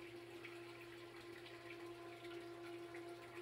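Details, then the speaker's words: Three-quarter horsepower sump pump with heavy inflow churning air bubbles under it: faint steady electric hum with trickling water and little flow, air-locked and barely moving water, with an unexplained vibration each cycle. "ally running right now but it's not moving very much water it's actually a pretty big pump this is a three quarter horse pump very capable of moving the water under normal circumstances"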